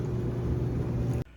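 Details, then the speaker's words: Speed Queen commercial dryer that won't start after coins are inserted; a steady low electrical hum with no spin-up, then an abrupt cutoff. The motor is suspected of humming without starting, and the push-to-start and door switches are still to be tested. "but I think uh by The Noise by the uh for what it's doing I think is the motor"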